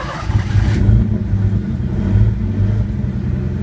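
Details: Engine on Pandoo EFI-4 programmable injection, started cold on a base map: catches and revs up and down smoothly, steady low drone with no misses or knocks; running cleanly.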